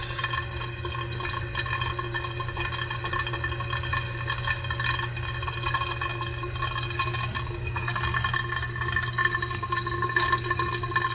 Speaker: But when you lock it off tight, it makes noise. Where's the water going? Why it is making noise?